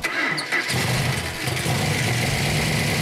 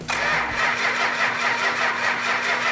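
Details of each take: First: Engine on a run stand with the original six-pack carburetor setup and a proven coil: it catches within a second and settles into a strong, even, deep V8 run with no misses; runs well, with rockers still needing adjustment. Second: 440 engine, first crank with fuel pump on and oil pressure; steady rhythmic starter whirr that never fires; crank no start, no spark due to a faulty ignition coil.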